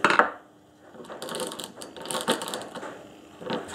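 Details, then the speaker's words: Briggs and Stratton engine on old Webb cylinder mower, recoil starter clutch turned by hand: scattered light clicks and ratchety catches as a random ball catches on the hardened cam face; normal engagement. "as soon as you pull the cord one of them gets caught and in this case it's that one there"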